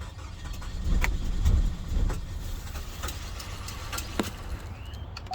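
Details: 2016 Chevy Cruze Limited LT 1.4L turbo, no start after a thermostat change; codes P0443, P0420, P0299, P0014. Uneven low knocking thump, about two beats a second, while cranking without catching; owner fears timing.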